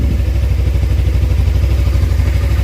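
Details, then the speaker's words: Suzuki GSX250R fuel-injected bike after FI-light repair, idling on low fuel for the first time; previously it stalled when low on fuel. Low, even, steady idle with no misses or rattles; no fuel leaks seen. Normal idle. "that's the lowest this bike's been able to run without fuel sounds good sounds good going to let it run for a"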